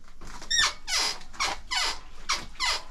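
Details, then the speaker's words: Royal Enfield Himalayan with a sharp high squeak about once a second each time the rear suspension is compressed; the source is not yet pinned down. "ihr habt es gehört, dann quietscht das ein bisschen."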